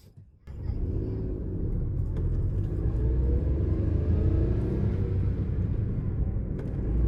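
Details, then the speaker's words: Car accelerating gradually in gear, heard as a shift cue for learners (shift at around 2000 rpm): a low engine drone grows louder and deeper under load, a normal signal to change up a gear. "So as you speed gradually, the engine noise becomes a lot more deeper. As soon as you hear a slight change, that deeper noise, change it immediately."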